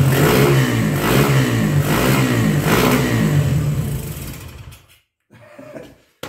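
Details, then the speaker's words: 1975 Honda CB125S single-cylinder after carburetor drained, fouled plug dealt with, on auxiliary fuel, good compression, no choke: catches on third kick and runs with a quick, even firing beat and clean revs; running properly after not starting. "I'm going to try it without the choke here. Running really quick."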